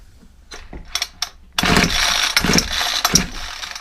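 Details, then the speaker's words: Ryobi 4-stroke trimmer getting no fuel, started on carburetor spray: a few rope pulls, then a short sputtering pop that dies at once. It fires but won't keep running; owner suspects the carburetor isn't priming. "definitely fired I heard it pop a bit more fuel I think the issue is is the carburetor is uh not priming that's the issue"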